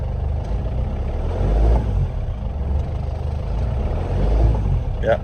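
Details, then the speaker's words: Land Rover Defender 110 diesel just after replacing the failed fuel lift pump and re-priming: steady low clatter at idle, even and settled with no misfire or stumble; running cleanly, sounding much better. "really nice and there we go that sounded a lot better"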